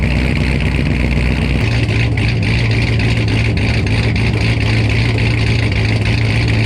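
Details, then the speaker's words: Blower engine idling after a new TSP blower cam swap on a fresh tune: a deep, loud, choppy lope of about three pulses a second, running steady and healthy. The owner says it has more tone than before. "Yeah, that sounded freaking crazy. I ain't gonna lie, I did not expect it to be like that. Some of you might say it sounds the same, but I can definitely tell a difference."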